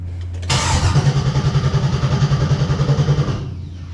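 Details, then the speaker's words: 1971 Chevy Camaro during a wiring upgrade, ignition turned to test the cranking relay: steady, even starter cranking at about 3.5 pulses per second with no grinding or clicking; starter kicks the engine over normally. "yeah yeah that starter is kicking over"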